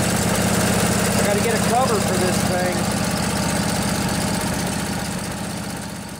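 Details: Briggs & Stratton Intek OHV twin (20-22 hp, model 40777) in a junkyard Husqvarna riding mower after new carburetor, started on light choke with fuel pump feeding: steady even thump settling into smooth idle, no misses or knocks; normal running.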